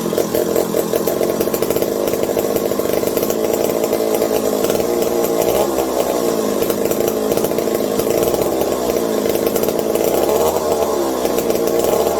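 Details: McCulloch 740 two-stroke chainsaw after coil gap fix and swapped spark plug replacing flooded one: even sustained high buzz, steady crackle, no sputtering; linkage holds about quarter throttle, owner fears lean running/air leaks; normal running.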